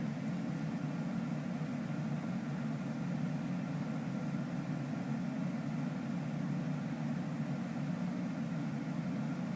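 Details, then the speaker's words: A97 modulating furnace ECM blower heard indoors, ramping into higher second-stage modulation with outdoor unit around 85–90% and AC at 100% cooling, calling about 1230 CFM; steady rushing airflow, low hum, no ticks or surging; normal high-speed blower operation. "and indoors we know that the fan is running kind of high because we can hear that"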